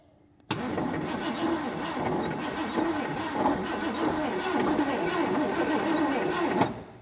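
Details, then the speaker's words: 1979 Ford F250 4x4, off the road for 32 years: steady, even cranking for about six seconds with a regular rhythm and no knocking; no sign of a rod problem, so the bottom end sounds sound. "Don't sound terrible. I don't hear a rod hanging out the side anyway."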